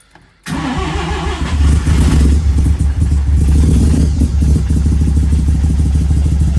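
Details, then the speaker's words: Mazda 323 with Bridgeport-ported turbo 13B rotary, replacement ECU, untuned: starts and settles into a steady, lumpy idle with uneven pulses only after roughly 30% fuel is pulled from the maps. Rich running from excess fuel, smoking heavily. "there doesn't like that okay we'll go halfway somewhere so I'm actually pulling 30% off my fuel"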